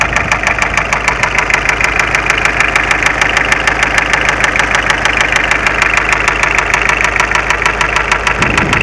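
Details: Mitsubishi Space Runner 2.0 diesel at idle: sharp, evenly spaced heavy knock every engine turn with whole engine shaking; came on suddenly while driving, idle steady, starts tolerably; loosening an injector slightly made no difference; cause unknown.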